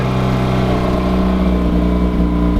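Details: Mazda RX-8 drift project, started after being flooded and having engine oil pumped into the intake: smooth, steady buzzing rotary note with no misses, pops or knocks; the engine runs cleanly.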